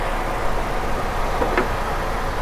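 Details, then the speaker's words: Mazda RX8 rotary at idle with hood propped; premix smell in the exhaust, owner certain someone added two-stroke oil; steady even low hum with no misses or surging; engine runs top notch, drives great, clutch solid. "This thing just drives so great. The suspension is in excellent shape. Engine runs top notch, man."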